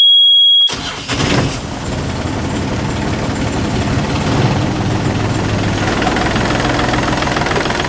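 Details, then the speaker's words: Inboard marine diesel on a boat, mounted on a custom metal frame with no rubber where engine feet should be: cranks, catches, settles into uneven shaky idle; rigid mounts transmit excessive vibration, idle adjustment planned. "yeah there's no rubber here where the engine feet were supposed to be and i think that they have actually mounted the feet underneath here"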